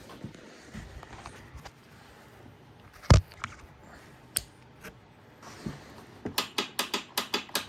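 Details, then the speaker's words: 2016 Polaris Sportsman 570 with a rebuilt cylinder and piston after water damage: rapid sharp starter solenoid clicking up front with no crank, even with a jump pack connected. Starter voltage is checked next. "still doing the same thing you just hear that solenoid clicking up front"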